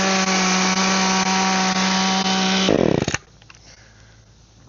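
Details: Echo hedge trimmer after repair, cutting bushes: small two-stroke holds a steady, high, even buzz under cutting load, then shuts off cleanly; running properly.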